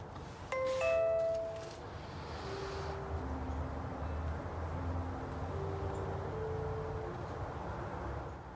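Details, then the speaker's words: Old Nutone Series 3003 chime sounding when the Simplisafe Video Doorbell button is pressed, after setup and syncing with the base station. A clear ding-dong, then softer sustained tones over quiet room noise: the chime is working. "don't know if you can hear my Nutone just chimed for me."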